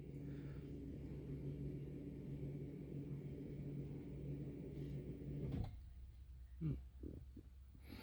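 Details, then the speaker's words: Nissan Qashqai (2013–2021) with electric park brake, diagnostic-tool service mode before rear pad replacement: a steady low motor hum runs for about five seconds and stops cleanly as the rear park brake winds back normally. "Okay, and there you can hear the park brake being winded back in the back."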